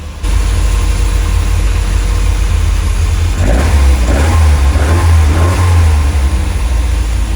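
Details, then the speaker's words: Lotus Elite revived after ten years in a barn, after carb chamber cleaning and fresh fuel. Still cold, with vacuum working and good oil pressure. A deep, even idle rises cleanly under a couple of blips and drops back smoothly. "The lights have come down, which means the vacuum's all working fine."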